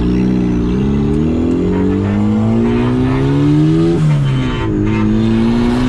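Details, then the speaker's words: Turbo Mazda Miata on first drive after new tune, new injectors and wiring fixes; clean engine note climbing smoothly through the revs with a quick shift, no stumbles or misfires, throttle response and tip-in described as perfect; normal acceleration. "throttle response is perfect. Throttle tipping and everything is perfect. This is awesome."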